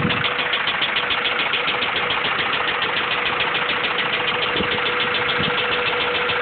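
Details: Honda B16 engine at idle: quick light knock about three per second over the engine, suspected rod knock.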